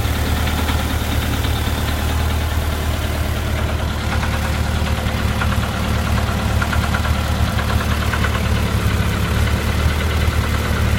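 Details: VW Type 4 engine, warm idle only: random, irregular knock under a low steady rumble, not in time with the firing, gone above idle. Owner suspects a loose cam gear or a loose hydraulic lifter in its case bore; source unknown.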